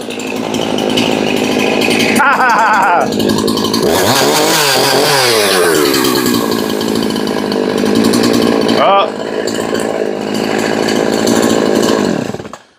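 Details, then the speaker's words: Husqvarna 353 chainsaw, said by the seller to bog from a tight chain, now with the chain moving freely: screams at full throttle and holds speed through test cuts, dropping and recovering cleanly; runs strong. "But now that we're moving freely, let's see if we can fire it up and do some test cuts."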